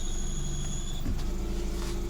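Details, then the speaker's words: Peugeot 307 sedan, exhaust also blowing: high thin steady whine over the idle that changes as the clutch pedal moves; worn clutch release bearing, to be replaced by separating gearbox from engine. "so it's obvious yes is okay apart from the exha that uh blowing so uh yeah the clutch relase bearing is done"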